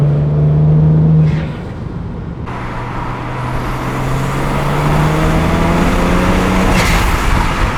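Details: 2009 BMW E90 335i N54 twin-turbo with VRSF dual cone intake, VRSF charge pipe and Tial Q blow-off valve replacing the diverter valves: pulls through the gears, then a short airy whoosh on throttle lift; blow-off valve venting normally.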